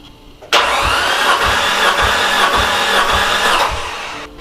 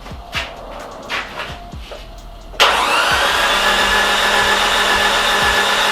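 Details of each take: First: Nissan S13 200SX with CA18DET, suspected blown head gasket with water everywhere, being cranked for a water test; steady starter whir with an even low whump about every 0.6 s, healthy cranking compression. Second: Nissan S13 200SX CA18DET cranking, plugs in and tight: light even whir with a slight pop but very little compression on cylinder 4 compared with cylinder 3; blown head gasket suspected, with water everywhere.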